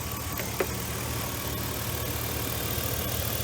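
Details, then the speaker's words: V8 misfiring at idle, with good compression, spark and injector pulse, after fouled plugs began to be replaced. A steady idle with a slightly uneven, loping beat and occasional stumble; it shakes less than before, but the misfire persists, milder. "motors not shaking as bad as it was did you see that"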